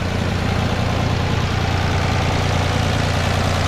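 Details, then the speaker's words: Toyota FJ62 Land Cruiser with replacement petrol six swapped in after the 350k-mile 3FE engine blew up, idling after accelerator cable adjustment with a low, even hum and steady rhythm; smooth normal idle. "little adjustment in this motor freck and runs amazing like a sewing"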